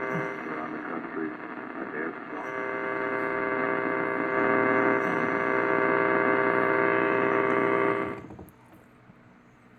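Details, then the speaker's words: 1947 Lear 662 AM tube radio, working and tuned to AM: a steady low hum of constant pitch from the tubes, which is normal for these tube radios. "You can hear some humming in the back from the tubes, but background from the tubes, but that's pretty normal for these tube radios."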